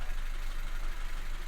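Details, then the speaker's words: 2016 Honda Civic 1.5 petrol at idle with P0303: brake cleaner sprayed into air intake smooths the idle, slight unevenness remaining; coil power, ground and trigger good, so cylinder 3 misfire traced to a failing injector. "So you've seen that with a fuel source, the engine smoothed out and it went fine. So we're after the injectors."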